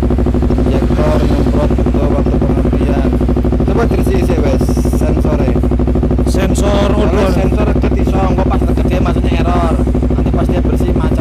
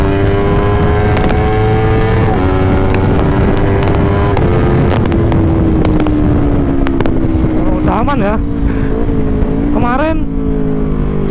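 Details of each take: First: Honda CBR250RR that, once hot, holds at about 7,000–8,000 rpm, then sometimes dies or feels hollow on throttle, with no fault codes. Repeated revving climbs, then sags back instead of pulling freely. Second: Honda CBR 250RR that previously stuttered and would not rev past about 6,000–9,000 rpm, ridden at full throttle on a ring road after the fix: pulls cleanly through the revs with crisp shifts, idle also fine. Normal high-rpm running.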